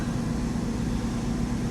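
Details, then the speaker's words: 1995 Mercedes R129 SL500 V8 with 84,000 miles, just restarted after lower engine wiring harness replacement, cold: deep even idle, good oil pressure, no warning lights; smog pump noise audible until warm-up; normal idle. "Nice exhaust note. That noise is the smog pump running. It'll do that till the car warms up, and then it'll shut off."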